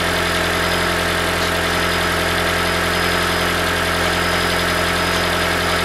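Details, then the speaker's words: 2012 Toyota Prius V (ZVW40R, 1.8L 2ZR-FXE hybrid) idling with a busy metallic rattle from the top exhaust heat shield, whose two metal washers are worn, a common fault. "hi guys uh this is 2012 toyota psv this car had a problem in in engine is idling this sum we can hear some rattle so the metal noise"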